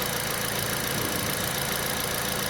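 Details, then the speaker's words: All New Picanto after replacing the alternator (Mire brand) for low charging; the earlier squeal when the AC was on while driving is gone. An even, unchanging idle hum with no squeal or rising tone: normal idle. "Nah setelah aku ganti alternator tuh bunyinya hilang"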